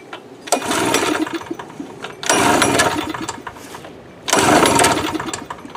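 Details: Cheap inverter generator stored a year in dusty humid barn, old gas topped with about a cup of fresh gas plus stabilizer: catches after a few pulls and settles into steady running; starts and runs normally.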